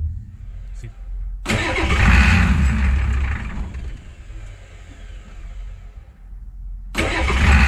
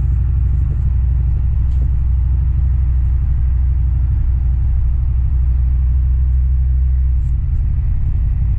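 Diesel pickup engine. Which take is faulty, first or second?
first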